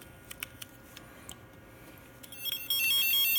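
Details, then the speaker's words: Old F-set tone transmitter after repairing low volume, supply near 9 V: clicks, then a strong, steady, loud high-pitched warbling tone, much louder than before; tone output now normal. "much better that's way way better so much more louder and stronger"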